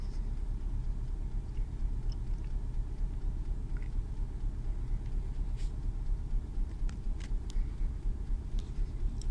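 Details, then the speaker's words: Renault Clio 2 1.4 16V on the first cold start of the day at about 1000 rpm; uneven rough idle with the car shaking and the check engine light flashing; scan tool shows cylinder 1 misfire even though that coil and plug were already replaced; cause unconfirmed. "donc là le moteur il est sur 1000 tours mais si vous voyez donc moi qui est dedans la voiture la voiture tremble et sûrement le témoin gestion moteur va clignoter pour un moment"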